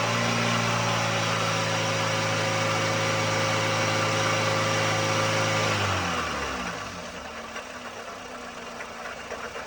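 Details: 1ZZ-FE in 2004 Toyota Matrix XR 5-speed manual, 174,400 mi, burns about 0.5 qt per oil change, at operating temperature under varied rpm and loads: steady idle with a light, even metallic rattle, noticed about 1,500 mi earlier; source unclear.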